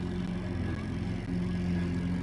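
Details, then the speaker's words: Sprayers Plus BL25E E-Power 2-gallon battery-powered sprayer, brand new out of the box, switched on with settings correct: steady low pump hum but no spray; air-locked, unprimed pump. "First thing out of the box, just went to use it, and it won't spray. It is on. You can hear it on. I have everything turned to where it's supposed to be, and it's not spraying."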